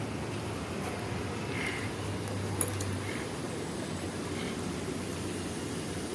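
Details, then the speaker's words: Hyundai i20 after replacing broken clutch release bearing plus clutch plate and pressure plate: quiet steady idle with no squeal, chirp or grinding as the clutch is pressed; noise solved. "कोई आवाज़ नहीं आती spring डालने के बाद अपना problem solve हो जाता है"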